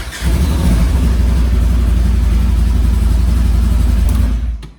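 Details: Side-by-side off-road vehicle after installing a kill switch in the circuit between the PCM and the fuel-pump relay: the engine catches right away, revs cleanly and holds a steady throaty note before cutting off; it starts normally.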